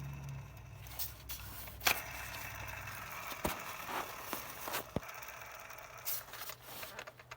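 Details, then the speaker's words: 2005–2010 Chrysler 300 2.7L V6, belt removed: the tensioner pulley spun by hand gives a dry, gritty scraping rumble from likely rusted bearings; noise may squeal louder once warm; fix is replacing the belt and tensioner. "as you can hear that this the bearings in there are most likely rusted and causing that noise"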